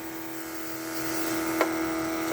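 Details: 1980 Trans Am nitrous kit fuel system: electric fuel pump flowing through the jet while setting nitrous fuel pressure. Steady high-pitched hum with an even buzz and no surging or sputter; pressure holds right at 9 psi, no leaks.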